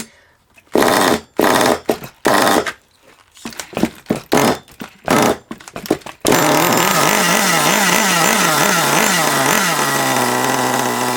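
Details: Long-unused HPI Savage 21 nitro RC monster truck engine, running very rich: screaming, rough, wavering warble that won't settle; still rich.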